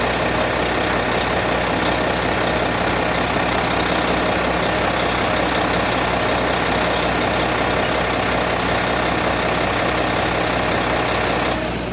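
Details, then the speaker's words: Mack MP8 / Volvo D13 truck diesel after a Volvo specialist sorted the injectors to cure its long-crank hard start, recorded from outside: steady even idle, smooth low drone, no misses, knocks or roughness; running healthy. "And I get my injectors sorted out, and everything is good now. Truck is running good, fuel is burning fine, everything is happening the right way, right?"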